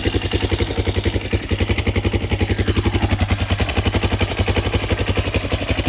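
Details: Yamaha Raptor 660SE after repairs: steady single-cylinder thump about 220 a minute, no stumble or misfire, smooth idle, no longer smoking; loose front motor mounts may rattle.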